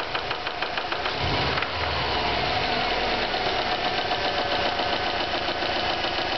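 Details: Stock 2009 Subaru WRX, 2.5 weeks old with 1,251 miles, running with a loose, uneven knock over the idle: spun rod bearing, a manufacturing defect repaired under warranty.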